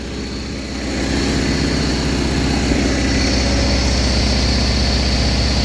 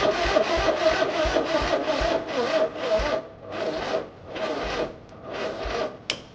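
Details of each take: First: 1980 John Deere 317 tractor, reportedly bad valve guides and heavy oil burning, revived: engine settling into steady even idle with regular thump, no knocking, burns a little oil with light smoke; normal idle. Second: 1980 John Deere 317 tractor, new points and condenser, battery charged but dying quickly (owner suspects bad battery): starter drags and slows at about three strokes a second, no firing, still no spark; slow crank, no start.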